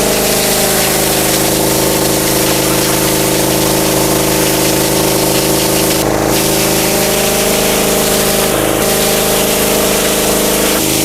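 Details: Mitsumax 10 hp vertical diesel on a 3-inch high-pressure water pump (3,000 rpm rated), full throttle: steady even drone, constant pump note and water hiss, no knocks or misses, holding pressure; normal running under load.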